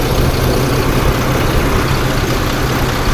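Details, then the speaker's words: 2008 Ford F-150 4.2L waste-spark ignition, new plugs, wires and coils: steady low idle with uneven, lumpy pulse; two-cylinder misfire, one coil giving no spark, caused by a bad coil driver in the PCM. "There's no spark from that one either. So this coil is completely dead."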